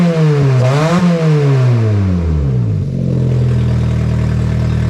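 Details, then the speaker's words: Astra with the exhaust manifold refitted using new studs and the downpipe disconnected, run briefly to check timing: a loud, raw, raspy open-exhaust blare as it revs and drops to idle, higher-pitched than expected, with a little smoke from burning-off oils. "so with the downpipe still disconnected down there we're gonna fire it up real quick just to make sure the timing is okay"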